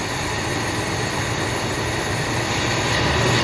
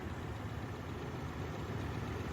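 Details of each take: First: 1979 Buick Limited Landau, 350 Buick V8, first run after long storage, old gas drained, new fuel pump, some two-stroke gas in fuel, smoking a little: loud, uneven idle with lumpy low pulse and rising roar; rough idle. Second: Forgotten 1979 Buick V8, first start in 20+ years after tank drained, new fuel pump and battery: steady, even low rumble with no knocks, misses or stumbles; normal idle.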